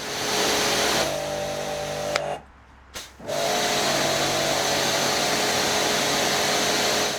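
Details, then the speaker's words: Karcher K5 Compact pressure washer after replacing the leaking plastic pump manifold: the motor hum briefly cuts out as the pump starves on trapped air, then holds an even, constant note with no surging; normal running. "That's better, it's constant now."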